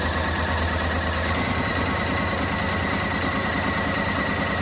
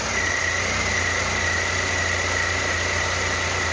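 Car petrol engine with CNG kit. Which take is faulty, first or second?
first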